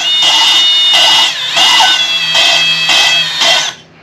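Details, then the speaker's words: Kawasaki FX850V engine from a Gravely 260Z, head off with new valves being fitted. Each valve is spun against its seat with a drill, using grinding compound, giving short rasping grinding bursts: normal valve lapping. "And if you listen, you can hear the kind of grinding sound. And I'm on and off the seat."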